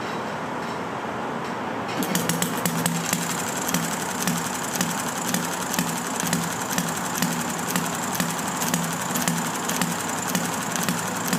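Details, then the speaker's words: Enjomor model engine with original stiff brown piston O-ring, very hard starting on a humid day after flooding and a soaked, cleaned spark plug; quiet hiss then catches into a quick, fairly steady firing beat; normal running. "Definitely have it flooded, so let's see if we can get it to. Now I got it firing."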